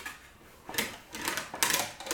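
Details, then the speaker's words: English wheel, first pass on a Wolseley Hornet Swallow sports body panel, pulling down on the backward roll: irregular light metallic rattle as lumps and mallet marks run through under the wheel. "so on the backward backward roll pull down not too wet so you can hear it rattling through it rolls out"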